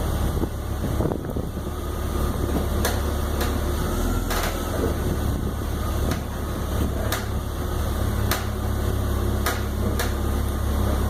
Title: 2002 330Ci - cracking/popping noises